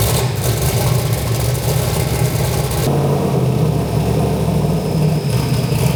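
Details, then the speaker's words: Turbo V8 Ford Fairmont just after replacing bent connecting rods with straight ones. A deep, even lope with steady firing and no tapping or knock underneath means the bottom end sounds healthy and runs smoothly. "Alright, we got some straight rods in this bad girl now. Seems to be running pretty good."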